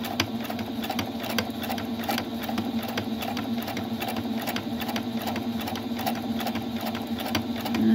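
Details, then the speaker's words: Singer Patchwork 7285Q after its detached take-up lever was refitted, sewing a 3.0 zigzag (stitch 03): quick even needle-bar clatter over steady motor hum, no knocks or skips; stitching nicely again. "you go. It's sewing really nice."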